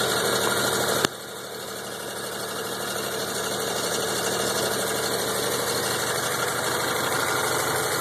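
Steady idle with a faint, fairly regular tapping of about three per second over the engine hum; the source is unclear.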